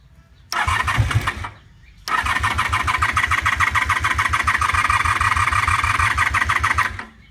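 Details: 1988 Honda Super Magna VF750 with a new battery: a short crank, a pause, then a five-second crank with a rapid chugging starter rhythm. The engine never catches; the owner suspects it needs more choke or that the battery is weak.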